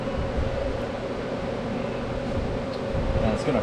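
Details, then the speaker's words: Rebuilt starter from 1972 Chevy K20 4x4 that sat 15 years, on the bench after reassembly correcting shift fork placed wrong: steady mid-pitched whir, even hum, no grinding or clicking; starter spins freely, healthy. "it might work now turns out we built the starter rebuilt the starter right probably the third time"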